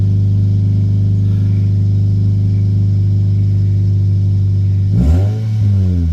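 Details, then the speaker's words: Normal revving on a 2010 Toyota Yaris 1.5 L four-cylinder manual after an exhaust change: deep open-exhaust drone at idle, then a quick rev and fall, with the earlier exhaust rattle now gone. "Sounds a lot better. It actually has some sound to it. It doesn't sound bad. No rattle with being the exhaust was rattling."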